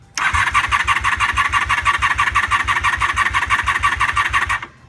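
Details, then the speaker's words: 1988 Honda Super Magna VF750 after draining tank and carburetors, with weak battery on charger and suspect carburetor: starter cranks steadily about three beats a second for over four seconds without catching; cranks but no start, owner suspects too little gas. "so it's not firing yet probably has designed enough gas or anything in it"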